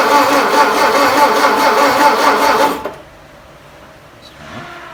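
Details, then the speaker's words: 1959 VW Beetle, sitting about 45 years, no muffler, distributor needing work: even starter churn about 2.5 per second for three seconds, stops without catching; carburetor clogged, fuel starvation. "Carburador no sirve. It's plugged up. Yeah, carburetor is clogged."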